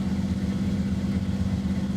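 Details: 1996 Jeep XJ Cherokee running after remote start via newly installed Firstech CMX system: steady, even low idle with smooth firing beat, no knocks or misses.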